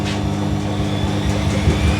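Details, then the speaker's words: Maloney front-loading washer attempting 1100 rpm intermediate spin: heavy low rumble with uneven thumping pulses as the drum spins up; load badly unbalanced and shaking the machine. "That was a click for a spin, that was. Oh no, that's really unbalanced."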